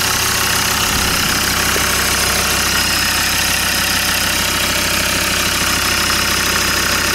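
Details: Land Rover Discovery 2 diesel after injector loom replacement (new plug fitted), SRS airbag light on: even clatter at idle with a regular beat and no stumbles or dropouts; runs smoothly on all cylinders, definitely no misfire.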